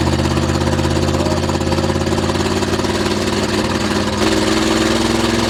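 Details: 1976 GMC Vandura 3500 RV motorhome V8 after some work, warming up; uneven lumpy idle with occasional stumbles and drop-outs, misfiring now and then; running rough, sputters, bogs under load; cause suspected, not confirmed.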